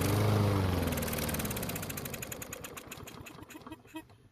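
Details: Yard Machine push mower after winter storage, with fuel poured into the carburetor throat: fires on the prime, puffs a few seconds with beats slowing and weakening, then quits; fuel starvation from a clogged carburetor jet, smoky exhaust.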